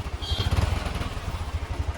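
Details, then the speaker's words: Royal Enfield Bullet 350 with self-starter noise problem, after repair and oil added: even, steady low thumping at idle with no grinding or clatter from the starter side; noise gone, engine sounds healthy. "अभी डाल हो चुका है भाई, अभी आवाज़ नहीं आ रहा है। और एक बार स्टार्ट, अभी आवाज़ नहीं आ रहा है।"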